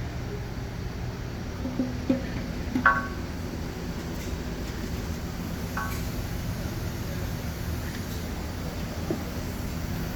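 Steady low droning hum under the running vehicle, with a few light clicks: worn bearings.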